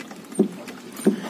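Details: Fiat Palio / Palio Weekend with a missing stabilizer (anti-roll bar) bushing, body rocked with the car on the ground, since the noise doesn't show when lifted: two dull hollow knocks about two-thirds of a second apart.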